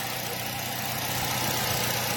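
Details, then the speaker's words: Nissan Y12 at idle after new genuine spark plugs: steady but uneven, hollow note under shop noise; cylinder 4 misfire, idle improves when wiggling harness, suspected short in the wiring harness. "but the minute we play with the wiring harness we're here in the idle improvement are we getting some movement here so it's looking like it have a short our shot in the wiring harness"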